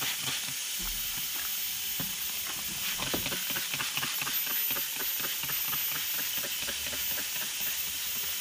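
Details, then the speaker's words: 1992 Dodge W250 12-valve Cummins with H1C turbo, engine off, stock intercooler pressurised to just under 30 psi with a boost leak tester; continuous sharp hiss of escaping air from many passages; intercooler boost leak. "so wow that's a lot worse than i thought it was going to be i got leaks on many of the passages here"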